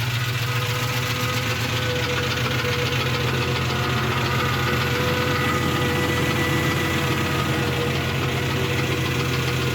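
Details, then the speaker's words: Jeep 4.0L engine after distributor reinstall, sat open three months: steady idle with regular tapping knock about three or four a second, quieter than before but present; engine knock at idle, cause unknown. "that i don't know if you remember that knocking noise but it was so much louder it sat for like three months and now it's it's still got a knock though you can hear it"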